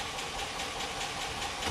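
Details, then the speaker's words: Honda D15B2 engine bought for a swap into an EG coupe, jump-started with a battery: hissing crank at about five pulses a second that almost fires but never runs; cranks but will not start. "you see what it sounds like here goes nothing sounds super dead almost fired up though"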